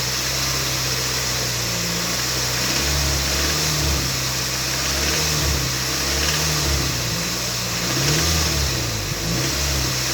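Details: Toyota MR2 Mk3 Roadster, laid up for a long time and restarted after draining stale fuel and fitting a new battery: a harsh metallic rattle at about 2200–2500 rpm, cause not yet diagnosed.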